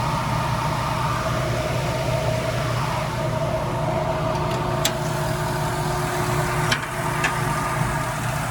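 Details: 1991 Toyota Land Cruiser HZJ75 with a 6.0 LS V8 swap, hood open: smooth, steady V8 burble at idle with an even beat, no ticks or misfires; healthy normal idle.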